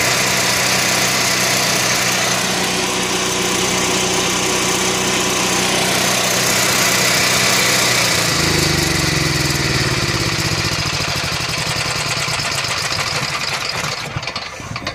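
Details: Onan 4000 Microquiet generator after carburetor replacement (old one flooded, spitting fuel, wouldn't keep running), primed and started: loud, steady drone settling into an even run with no sputter or surging; running normally.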